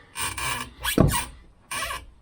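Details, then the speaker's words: Rear universal joint on the prop shaft of a Mk3 Ford Cortina GXL gives three short, dry squeaks each time the shaft is turned by hand; the back UJ is seized and worn and is the source of the noise. "Ah, that's where the noise is coming from. The back UJ has gone. That's the noise. We thought it was this. It's the back UJ."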